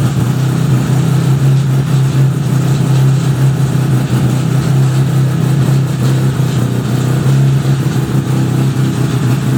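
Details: 1975 Suzuki RE5, just fully restored: a steady low engine drone at constant speed with a rough uneven mechanical rasp through it; abnormal transmission noise, cause unknown, engine to be removed to inspect the gearbox.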